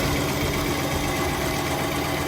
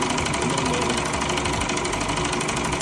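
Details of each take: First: Car wash high-pressure pump running with its manifold removed, so nothing is being pumped: an even, steady hum with no clicking, ticking or knocking. The pump itself is fine, and the knock is suspected to be in the manifold parts. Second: Car wash high-pressure pump tested on high-pressure soap after a rebuild: steady fairly quick knock about three per second over the pump drone; valve parts reassembled in the wrong order and jammed.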